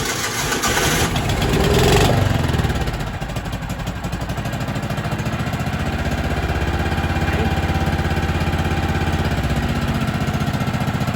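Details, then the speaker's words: Kawasaki Mule 550 UTV, sat 2-3 years, gravity-fed fuel: engine settles into a fast, high idle that never drops, lurching when put in gear; carburetor idle set too high suspected. "That means it's idled up too high. It's trying to jump into gear and move instead of just going into gear, then you throttling it up."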